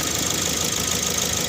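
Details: Toyota Vios that drove through floodwater half a wheel deep and would crank but not stay running; after a DIY job, a fuel pump hose was left off, a ground wire was missing and there was apparently no air cleaner. Rough, uneven knocking run with a hissy top end: a misfire, cause unconfirmed.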